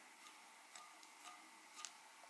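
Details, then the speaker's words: Eachine Tyro99 5-inch drone front motor spun by hand after about 10-12 flights: very faint smooth whir with soft ticks, quiet good bearings, unlike the noisier rear motors with poor-quality bearings. "let me spin this front murder it's pretty quiet the this one's even quieter"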